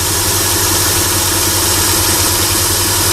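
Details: Chrysler Sebring idling after repairing a 3-tooth valve timing jump; slight tick sometimes while warming up, otherwise nice and steady; oil leak suspected near oil filter mount bracket. Smooth, steady hum with no knocking or uneven pulses; running right.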